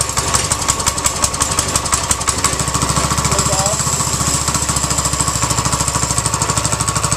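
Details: New six-and-a-half horsepower single-cylinder engine, choked and started with one or two pulls: it pops to life and settles into a steady, even fast chatter with clean rhythm. It runs normally.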